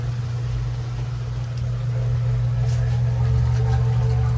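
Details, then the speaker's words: Newly replaced basement sewer ejector pump, plugged in through the float switch, first run: steady even low hum with no knocking or rattle while emptying the basin; normal running. "Don't plug the pump directly into there. You want to make sure it's plugged in through the float. Moment of truth. It's working. Oh, yes."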